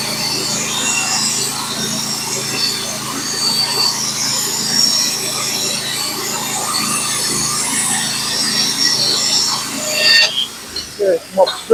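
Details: Norwood HD36v2 bandsaw mill with a Stellicut band, cutting 1x6 fence boards: a steady, even hiss of the band through the wood with no chatter or labouring, then the cut ends; a healthy cut.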